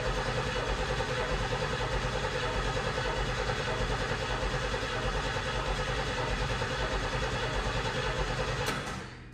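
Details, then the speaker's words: 1990 Pontiac 6000 SE AWD, first start attempt after sitting over 20 years: starter churns steadily at about three turns a second for nine seconds with no catch; crank, no start due to no fuel pressure. "Survey says no. Hmm. All right, let's see if it has spark."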